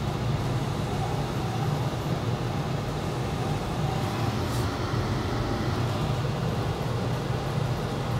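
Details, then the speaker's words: Ruud GPN 75,000 Btu 80% gas furnace blower running in AC mode on low speed with the control jumped: steady low whoosh and smooth hum, no rattles or surges; normal operation. "I got the Yeller jumped out down there and we're going straight to AC we're on low speed red on the cooling"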